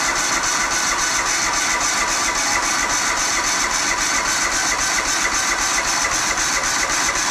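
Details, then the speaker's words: Auction John Deere LX186 riding mower, 17 hp Kawasaki engine, first start on jumper pack: steady, fairly even idle with loud hiss and slightly uneven beat, smoked a little; owner suspects overfilling from repeated choking, float bowl to be checked. "Well, I'm shocked that that ran like it did. It actually didn't run too bad. Uh, it smoked a little bit, but I think it was just overfilling cuz I had to choke it a few times to get it to to keep running."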